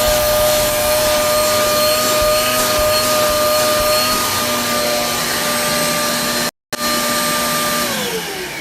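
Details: Repaired Hoover vacuum with cleaned motor, in tools mode using the hose: strong, steady motor whine holding even pitch, then winding down smoothly at switch-off; vacuum runs healthy.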